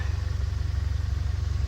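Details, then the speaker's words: 1990 Honda Accord EX that sat over a year, has an unexplained overheating problem and was just restarted on a charged battery: a quiet, even, low-pulsing idle with no knocks or misses and no exhaust smoke, now calmed down; normal idle. "very I'm pretty quiet can you hear it's running pretty quiet seems to have calmed down a little bit"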